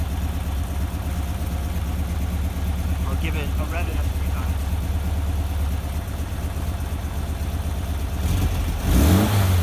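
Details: Rebuilt air-cooled VW Vanagon Type 4 engine with solid thicker cam and Porsche swivel-foot adjusters, warm: steady smooth low idle then a clean quick rev blip, no knocks or rattles; normal revving.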